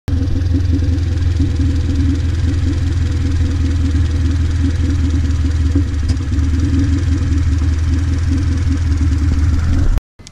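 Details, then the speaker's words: Car running after raising fuel pressure and correcting miswired harness pins to the ECU: steady even idle, smooth low hum, no misses or knocks; normal idle. "got the car fired up, and now it's idling."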